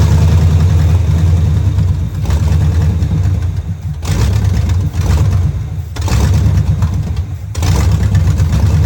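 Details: 1971 Camaro Z/28 barn find, after distributor, plug wires and fuel lines were replaced, running off a temporary fuel can: low lumpy V8 burble that sags and surges every couple of seconds; rough running, carburetor judged junk and needing cleaning.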